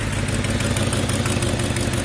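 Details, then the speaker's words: Ford F250 Super Duty 5.4 V8 at idle: quick steady ticking over the exhaust note from an exhaust leak, a cracked passenger-side exhaust manifold with a broken stud, later replaced. "hear that? You got an exhaust leak."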